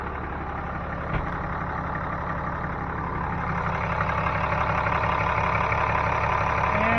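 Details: 2012 Dodge 6.7 Cummins turbo diesel idling after a Fleetguard FS5300 fuel filter change, housing pressurized, no leaks. Even, low diesel clatter with steady beat and no misses, creeping up slightly in pace. Normal idle.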